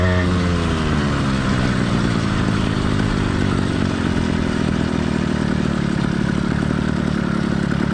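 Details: Cheap single-speed two-stroke motorized bike kit engine, warmed up but not heat soaked: revs drop then settle into an even two-stroke buzz with steady beat; normal smooth running.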